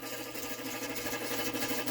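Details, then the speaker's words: Rare Spanish Playmatic Harem pinball machine, first power-up while a credit is being added. A busy mechanical chatter of fast ticking and whirring runs continuously, getting faster and louder. The owner suspects the credit unit. "sounds like it's like whatever is happening it's getting faster and faster or louder and louder so i think we'll turn that off"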